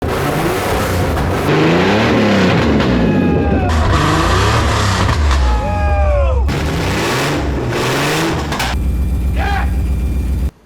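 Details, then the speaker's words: Aston Martin V12-swapped Fox Body Mustang running right on all 12 cylinders for the first time. Smooth, even V12 note climbs and falls cleanly through several revs with no stumble or miss; normal running. "thing sounds good, huh? This car is the best."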